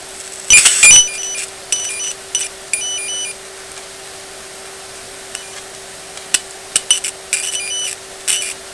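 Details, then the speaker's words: Sanyo 5-TC1 Cadnica portable B/W TV (c. 1965): a clean, steady mid-pitch tone injected at the preamp transistor base plays through the speaker over quiet hiss. The repaired audio output stage, now using silicon instead of germanium transistors, is passing signal. "So when I inject a tone or a signal, a sound signal, into the base of the preamp transistor, you can hear it from the speaker."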